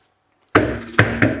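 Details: 2005 Volvo V70, front anti-roll bar links: four sharp hollow knocks as a loose link is pulled by hand. It knocks over manhole covers, bumps and gravel, and the links are being replaced.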